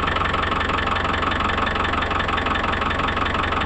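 Even, steady diesel clatter at a low, regular idle with no misses, knocks or hunting: the engine is idling normally.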